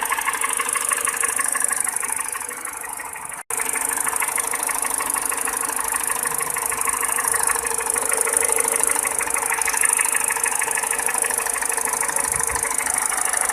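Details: Peugeot 207 petrol engine at idle with a sharp, even clacking tick about three a second over it; top-end ticking, source not pinned down.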